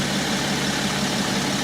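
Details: 2012 BMW X5 3.0 diesel AWD, warmed up, cooling system holding pressure: steady, even idle with smooth clatter, no knocks or hunting; healthy.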